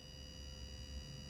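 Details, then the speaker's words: Kenwood TS-440S with voice module removed: dried-out components cause a roughly 400 Hz sawtooth buzz from the audio amplifier, affecting everything but AFSK out; fixed by unplugging connector on wire 3. Constant thin raspy buzz under faint hiss. "after some time when the components dry out you're going to start to get a sort of 400 hurt sawtooth noise coming out of the audio amplifier and this will affect virtually everything but the afsk out"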